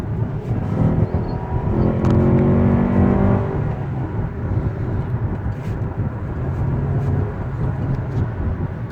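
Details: 2013 Ford Explorer XLT 2.0 turbo, 130,000+ miles: deep growl and vibration swelling under acceleration; shop diagnosed worn transmission mount, engine mount and torque mount, to be replaced.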